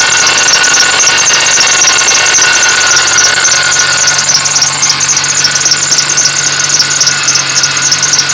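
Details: Running car engine with a persistent high squeak chirping about four times a second, despite belt, idler pulley, tensioner pulley and alternator already replaced; cause unknown.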